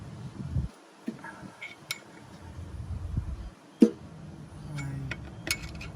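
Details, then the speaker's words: Loose metallic clinks and clunks as the crankshaft is rocked by hand, sump removed, in a Ford Fiesta engine that knocks on cold start; rod bearings fine, crankshaft play beyond specification. "there is a sound meaning there is an excessive play in the crankshaft this is beyond specification"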